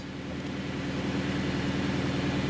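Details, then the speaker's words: 2018 Subaru Crosstrek junkyard replacement engine after fixes and throttle relearn: smooth, regular low exhaust pulse at idle with no skips, knocks or hunting; idles like a champ, no DTCs detected. "oh yeah she idles like a champ now so much [Music] better"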